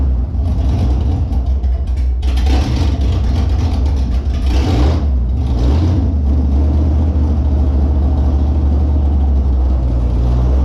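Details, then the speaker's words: Holden Monaro engine on first start after reassembly with a new Crower cam (217/226, 114), open headers, deadhead fuel system; fired instantly without long cranking; loud, deep, lumpy idle with uneven lope and sharp throttle blips; normal cammed idle. "I thought it would have been cranking for a little bit, build fuel pressure, these deadhead systems, you know, get the air and stuff out, but just instantly, just fired and it just bam, it was just loud"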